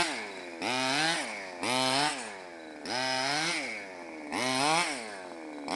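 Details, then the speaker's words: Mutilator-6 R/C buggy with CY 23cc gas two-stroke and Xcan, being tuned after mixture deliberately upset: blipped up, then dropping to a low, uneven idle between revs; idle speed set too low, to be turned back up. "Idle's a little low, turn it back up."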